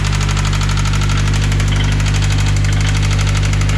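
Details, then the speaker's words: Subaru swap engine bought from Facebook Marketplace for a BRZ: a steady, deep knock of about four beats a second over the low hum, loudest in the center of the engine. A spun rod bearing. "run that's a that's a hundred percent knock that is like just leave it running and come listen to it it's not good"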